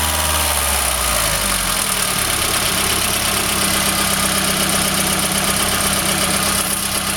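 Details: Golf GTI 1800 engine idling with a fast, loosely regular tick of about four per second under a hissy top end; cause of the noise not pinned down.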